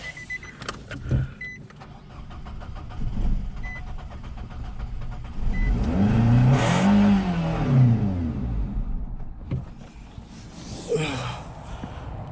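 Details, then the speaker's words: 2021 Nissan Rogue with fuel contaminated, apparently by diesel, in the tank: low, labored engine rumble with slow, uneven swells when revved and held, producing smoke. "Yep, more smoke. Still full of diesel. It even smells like diesel. But I have to say it's contaminated because I can't actually be 100% sure what it is in there."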